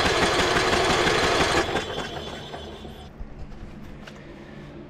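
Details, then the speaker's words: Abandoned MTD Bolens riding mower, fuel-flooded engine cranked on a jumper pack with spark plug out after freeing the pulley: fast, regular starter chatter about three turns a second with hissy gas spray, then stops. "it's going to be spraying [Music] everywhere oh my lord it's a good thing we did this on a day where everything's soaking wet outside"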